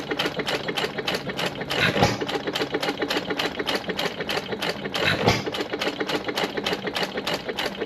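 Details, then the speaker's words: 1925 1.5 hp Sattley hit-and-miss gas engine after Wico EK magneto repair: quick even exhaust chuffs about four a second with occasional heavier firing bangs; normal running. "good running Motors they usually sits in our display down low pressures"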